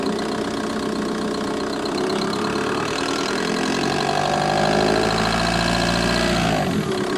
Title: Vw Bora 1.9 TDI ticking sound engine bay